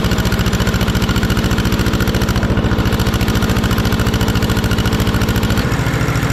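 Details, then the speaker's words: 1950s barn-find Schramm air compressor single-cylinder engine after carburetor adjustment, previously couldn't hold rpm after unloader kicked in. Steady even putter about 214 beats a minute, no misses or hunting; running cleanly, loud, needs better muffler. "i played with the carburetor a little bit seems to be working good"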